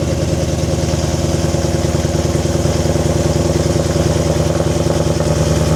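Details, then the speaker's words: BMW E90 M3 V8, 6-speed manual, cold idle after sitting three to five months on old fuel: fast even pulse with a tinny clatter underneath, banging/knocking; owner suspects bolts rattled loose where the X-pipe meets up. "So, while the car warms up, not sure if you guys heard that sound during cold start where it's it's kind of like banging or like it's kind of like a knocking noise. I'm pretty sure where the Xpipe meets up, the bolts might have rattled loose."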